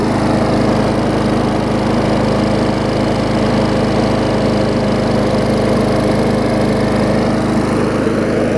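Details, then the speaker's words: Old Murray 22-inch push mower with transplanted ~3.5 hp Briggs & Stratton (originally 5.5 hp), revived after years unused, new muffler: steady, even drone with no misses, surging or knocks; runs smooth and healthy. "not bad for a mower that hasn't run in a few years"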